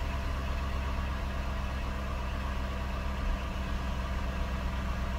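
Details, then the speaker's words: Cadillac DeVille Northstar V8 started after alternator replacement and battery charging, idling smoothly with faint steady alternator whine, showing it is charging; no charging warning. "can actually hear the alternator whining, so that tells me it's charging."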